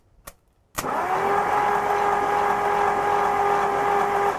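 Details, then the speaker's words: Starter on a 1963 Ford Galaxie 500, powered by jumper cables: it clicks, then spins freely with a steady whir, but the bendix never changes position. The starter's bendix is bad. "but unfortunately i don't think the bendex is changing position at all so that means that the bendex on this starter is bad"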